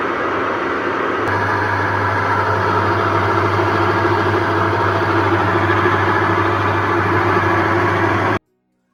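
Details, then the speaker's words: Onida 6.2 kg top-load washing machine: a loud motor drone with a rough rattle about three times a second. The gearbox is seized and the wheel won't turn by hand, so the gearbox is to be replaced. Gearbox failure noise. "यह आपने देखा कितनी बुरी तरीके से आवाज कर रही है साउंड कर रही है यह हमारे पास नेडा का टॉप लोड 6.2 केजी का मशीन है इस में प्रॉब्लम क्या है गियर बॉक्स"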